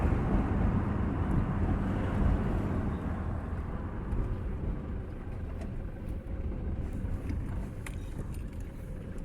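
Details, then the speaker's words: 2007 Toyota Hilux 2KD diesel after fix, test drive: only low engine rumble and road noise pulling through revs; the whistle/squeal that appeared near 2000 rpm, seemingly from the intake, is gone; idle also silent. "ahora nos vamos a dar una vuelta y vamos a ver qué tal que ahora como podemos ver el sentido ha desaparecido por completo"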